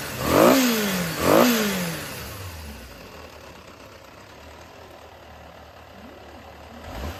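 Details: Yamaha XJR400 (RH02J, H501E) running engine assembly, removed, no abnormal noise or white smoke, compression tested: two quick blips rise and fall cleanly, then settles to a quiet, even idle without knocks; healthy running engine.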